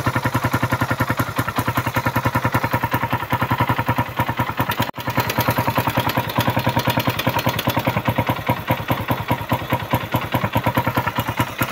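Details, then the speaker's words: Suzuki Raider 150 at idle after running without oil, now with fresh oil, new battery and new spark plug: a hard even mechanical clatter, several ticks a second; stethoscope finds noise at the crankcase and head, internal damage from oil starvation. "Patinggan natin yung makina dahil maingay yung makina nito. Dalawa ng natuyuan. Ayan yung pumipitik na yan."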